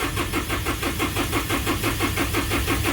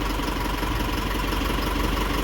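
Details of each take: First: 2012 Isuzu 4JJ1 diesel, codes 335/336, crank sensor and ECM already replaced: long steady cranking pulses about three per second with no catch, engine speed reading jumping; crankshaft position sensor gap too large. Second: 2012 Isuzu with 4JJ1 diesel, after cleaning rust from crankshaft position sensor bore and reseating sensor (fixing long crank and intermittent rough running): steady, even idle with smooth low rumble, no misses; normal idle.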